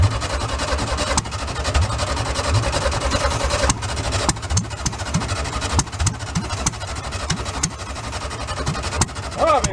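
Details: Air-cooled flat-four from a VW split-window bus left 40 years in a junkyard, bottle-fed fresh fuel with no tank line: uneven tickover with sharp irregular pops and missed beats; rough idle.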